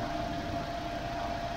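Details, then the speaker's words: Wuling car after tune-up, at home: smooth even idle with a faint steady tone (cricket-like sound back) and no knocks or misses; power normal and the helicopter-like extra fan noise gone, though a whine around 3000–3250 rpm remains. "Mobil udah sampai di rumah, tenaga udah normal, dan suara kembali ada suara jangkrik, dan extra fan yang kayak helikopter udah normal."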